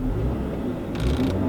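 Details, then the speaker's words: V6 VW Passat automatic after adding SeaFoam trans tune, shifted into drive: engine revs freely with no load or pull, gear indicator lights had all lit at once earlier; transmission slipping, not engaging drive. "Okay, so now it's just revving again. So last time when I was here, I kind of revved it up a little bit."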